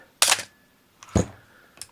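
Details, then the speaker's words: Canon AE-1 Program 35mm film SLR with 50mm FD f/1.8 lens and a fresh battery, shutter set to 1/60: a crisp mirror and shutter clack with a faint follow-up click. It fires cleanly, which is normal operation. "So what I thought I'd do is just step down through the shutter speeds."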